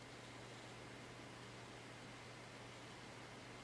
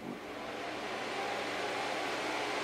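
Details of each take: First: Packard Bell iMedia S3720 desktop after a reboot, POSTed and starting Windows: it has gone really quiet, with only a faint steady hum and soft hiss as the rear fan spins very slowly at normal speed. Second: Packard Bell iMedia S3720 tower with no display: a small fan of about 80 mm or smaller gives a steady, loud, airy whoosh at full speed with no let-up. The cause was badly seated RAM.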